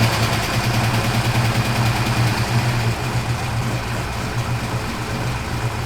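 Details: Turbo Fox Body Mustang V8 first start after turbo install, on 6 psi wastegate spring pressure, exhaust cutout closed: low, even, quiet burbling idle, no knocks or ticks; running fine.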